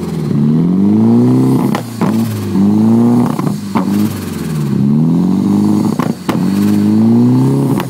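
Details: 240SX rough idle: the idle speed hunts and stumbles, sagging and recovering unevenly every couple of seconds with brief dips; cause unclear.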